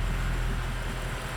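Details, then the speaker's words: C63 AMG Edition 507 Coupe, cold start after cooling a couple of hours, following PCV system repair: deep even idle rumble with no ticking, no smoke and no check engine light; valvetrain tick gone, normal idle. "so the PCV system is fixed the ticking is gone on and there is no check engine light either"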